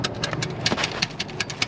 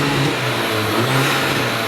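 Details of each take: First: High-mileage VW MK5 Golf GTI with no-boost issue, downpipe removed, engine off: loose irregular metallic clicks and rattles from wastegate flapper not held shut by snapped stock actuator, to be replaced with Forge 11 psi actuator. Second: High-mileage VW MK5 Golf GTI with hybrid turbo, after fitting a Forge 11 psi actuator to fix no boost: strong, steady rev with a full, clean pull and no flutter; turbo now boosting properly.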